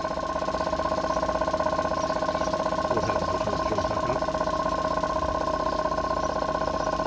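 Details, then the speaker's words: Abandoned blue Morris Minor, first start attempt with starting fluid sprayed and key on: steady, even starter churning about four beats a second with occasional weak firing skipping on the starter, never catching; engine trying to fire. "Okay, I definitely think that fired. You could hear it skipping on the starting motor."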